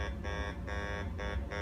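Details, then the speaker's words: Fisher F75 LTD SE metal detector over large silver target: low buzzy grunt repeating about twice a second; signal overload makes silver read as iron, bypassed by scanning with top or bottom of coil. "So this is a way to compensate for signal overload. As I figured out, if I find a large heavy target like that that wants to overload the machine, as you can hear, it's trying to overload."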